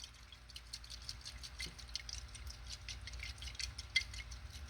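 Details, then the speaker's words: Front float from the methanol carburetor of a 1000 hp Vega drag car, shaken by hand: liquid sloshing because a pinhole in its bottom let methanol in, leaving it about half full. "So, this float has got methanol inside of it. And I got to looking at it, and right there is a pinhole in it."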